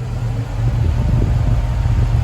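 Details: 1969 Pontiac Firebird 400 with Holley Sniper fuel injection, warmed to at least 160 degrees, IAC position adjusted to about 4 percent: deep, even idle with steady fan rush; holds without hunting when fans kick in, healthy.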